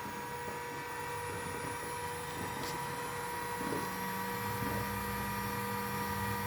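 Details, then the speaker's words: 2.2 kW spindle kit driven by a Fuling DZB300 inverter, run without cooling: smooth, steady high whine with clean even tones, no roughness or wobble, shifting slightly once; quieter than the inverter fan, spindle running healthy. "Cocok, kan? Suaranya sangat halus."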